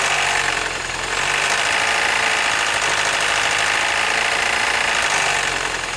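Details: 2007 Mini Cooper, 11,000 miles: steady idle with a fast, fairly even, sharp metallic tapping that stays constant; engine knock at idle, cause unknown.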